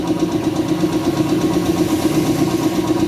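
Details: Shark 1 HP twin-cylinder belt-driven compressor (550 rpm, 83 L tank, 7 bar) filling its tank, which cuts out around 90: even, fairly soft pumping thump about 100 per minute over a steady motor hum, no knocks or rattles; smooth, normal running.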